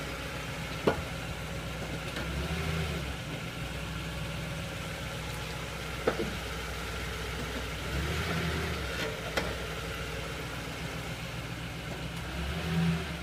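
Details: Toyota Tundra idling with a few sharp isolated clunks about five seconds apart, not tied to revs; source of the clunk unclear.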